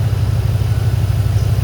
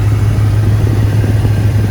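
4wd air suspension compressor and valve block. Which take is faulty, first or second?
first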